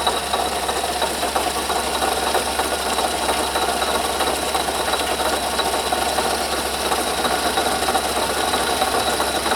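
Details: Under-hood noise growing louder: fast, uneven metallic rattle like a sewing machine over a faint engine idle, about three ticks a second; suspected bad bearing in the water pump housing, not confirmed.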